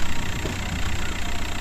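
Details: Diesel at idle while the steering wheel is turned, after the worn power steering pump pulley was replaced with a larger one: a low, even rumble with no squeal; the squeal is gone and steering turns lighter.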